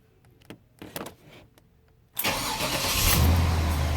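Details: Chevrolet Impala LT1 V8, first start after new spark plugs and plug wires were installed: after a few quiet clicks it catches at once on the first try and settles into a strong, even idle with no idle issues.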